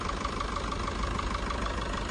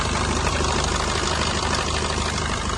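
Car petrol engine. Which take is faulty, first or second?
second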